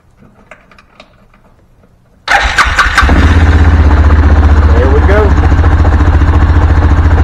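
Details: Axis 500 4x4 UTV, after replacing the starter and solenoid, in neutral with the parking brake on and the fuel system primed: a few quiet ticks, then a quick crank and clean catch into a steady, even idle; it starts and runs normally.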